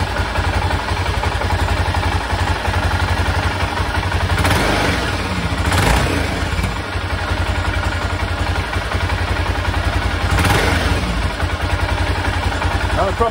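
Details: 1996 BMW F650 Funduro single after carburettor rebuild: steady thump then clean pick-up in short throttle blips without stumbling or cutting out, where before it cut out when given gas at higher revs.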